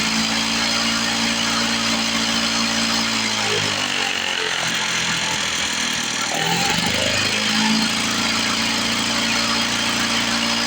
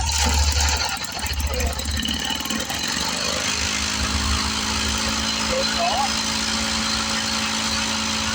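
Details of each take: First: 1970 Lawn-Boy Buttercup two-stroke mower (model ~30237), run after carb spray cleaning: idle climbs and drops repeatedly, surging; owner suspects old gummed fuel or a sticking needle valve in the carburetor, otherwise running pretty good. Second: 1970 Lawn-Boy Buttercup mower after refitting the screen: rough catching at first, then settles into a steady, even buzzing run without stumbling; runs better than before.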